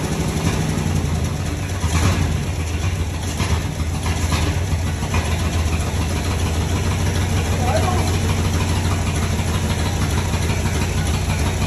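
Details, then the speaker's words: 1961 Dodge Power Wagon, tired Poly 318 V8, first cranking with gas bottle on carb, old coil, rodent-chewed points wire replaced: uneven, lumpy, stumbling chug; plug readings suggest only one cylinder firing on one bank; misfire on multiple cylinders. "I think only this cylinder, which was the third one back, was the only one that was running on this side."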